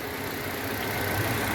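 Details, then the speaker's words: 2016 Citroën C3 1.5 after the engine noise fault was found and fixed: smooth, even idle with a steady low hum and no ticking or knocking; noise resolved, no valve adjustment needed. "eu vou lá pronto resolvido barulhinho Sininho filézinho gente tem que ser perfeitinho"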